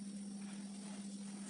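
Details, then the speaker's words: Refrigerator control board area, fridge behaving oddly by switching on in cold: thin, steady high squeal like a cricket over a constant low electrical hum, no rhythm; electronic whine, exact source not yet found, considered a defect. "единственная тут заметил такой вот сверчок где-то здесь спрятался вот если слышно в этом вот районе где точно пока что не знаю"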